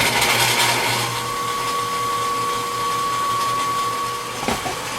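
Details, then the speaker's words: 30-inch Covington lapidary slab saw after replacing a pulley melted when a segmented blade caught a stone, belt slightly worn: motor comes up to a steady clean whine with even hum, no squeal or rubbing; normal running. "Oh, yeah. The blade does spin. Let's see what she sounds like."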